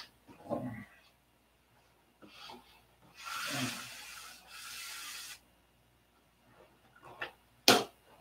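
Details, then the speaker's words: Newly glued flaps and elevators on an F2B control-line model, moved by hand: scraping and rubbing, then a sharp dry pop as epoxy squeezed into the hinge line breaks free. Clicking heard at the outboard wing flap. "you hear that pop that's epoxy breaking they're gonna have to i can hear it clicking out there on the outboard wing"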